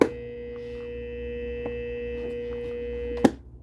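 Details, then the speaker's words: Red Lion shallow well sprinkler pump motor, wired to 115 V for bench testing: steady electric hum about three seconds with no spin-up, motor won't start; owner judges motor shot. "just hums. So this motor shot."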